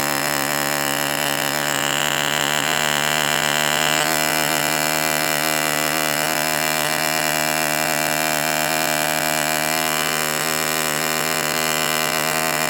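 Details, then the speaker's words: Enya 40 TV Model 6002 model engine during break-in heat cycles, running hot at full throttle. It screams with a burbling, wavering note that keeps trying to clean up to two-stroking: rich four-stroking during break-in. "So I am just going by running it at full throttle and keeping it at that burbling four stroke period. And you could kind of hear it want to go to two-stroke mode"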